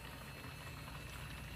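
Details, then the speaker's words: 2005 Porsche 911 Carrera S (997.1), fuel pump relay activated via PIWIS to drain old fuel from the tank: quiet steady gurgling rush of fuel out of the open line; the pump delivers strong, healthy flow. "definitely hear it something is happening oh heck yeah fuel is chugging out of that"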